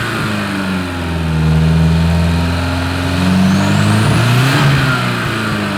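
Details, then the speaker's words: Porsche 924 Turbo, sat for years, bad fuel suspected: deep steady engine note swelling cleanly with throttle, slight pop; now running pretty well. "it's got a little flip up from the pop in it uh yeah it's been sitting a while put the exhaust back on it that might help seem to be running pretty good now"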